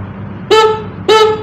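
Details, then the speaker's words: Standard motorcycle horn, before repair: two short honks with a thin, nasal, reedy tone and little punch, weak and hoarse, likened to a snail horn; owner goes on to remove it to fix it. "suaranya kayak klakson keong. Jadi saya namain klakson siput."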